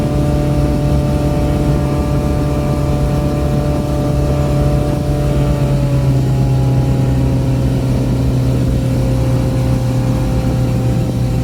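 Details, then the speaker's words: Boat outboard, back on after repairs, trimmed and run wide open on the lake near 5000 rpm and about 50–52 mph, above its 3500–4000 rpm cruise; mic behind the windshield. A strong, even roar with no misses or knocks: a normal full-throttle run. "well there you have it um trimmed it up ran it wide open so that was quite a bit above cruising speed"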